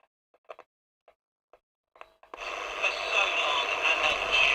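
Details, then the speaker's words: Eddystone EC10 receiver, probing output transistors then stepping back a stage: a few sharp probe clicks, then harsh, fizzy, gritty audio with no clean tone; distortion, capacitors suspected. "oh that's distorted it sounds terrible sounds appalling"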